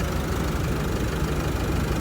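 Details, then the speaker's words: 2016 Isuzu D-Max 1.9 Ddi Z manual pickup diesel at idle: steady, even low clatter with no knocks, misses or surging; engine quiet and solid, normal idle. "สวยๆเลยเครื่องเงียบมากเครื่องแน่นมากครับประหยัดน้ำมัน"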